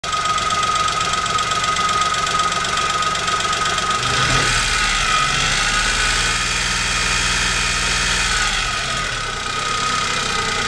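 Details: Chevrolet Spark 800 cc engine running with rapid irregular tapping over it, note rising briefly midway; owner asks whether this is engine knocking (nglitik), source unclear.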